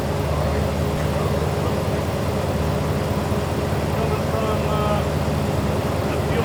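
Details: 1989 Jeep Wrangler YJ 4x4, manual, revived after 12–13 years sitting: uneven, lumpy chug with loping beat and no smooth pull; seemingly running on two cylinders, likely from two cracked spark plugs; clogged fuel filter also suspected.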